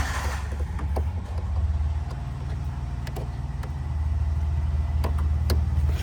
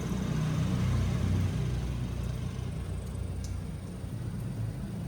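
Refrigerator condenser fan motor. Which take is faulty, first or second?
first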